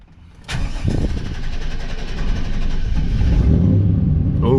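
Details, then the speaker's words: 1998 Chevrolet C3500 7.4L 454 V8: long uneven crank before catching into a rough rising idle; scanner shows very lean on start and still lean; about 18 PSI fuel pressure seen; fuel pressure regulator suspected, later replaced. "see that's very very lean as soon as it started it's still lean and it took forever to start"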